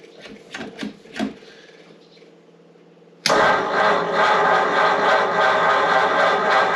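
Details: 1937 Ford taildragger with 59AB flathead, six-volt coil and a battery worn down from cranking, on a humid ~80°F day: a few weak cranking thumps, a pause, then it catches and settles into a steady, even run after an ignition issue was suspected.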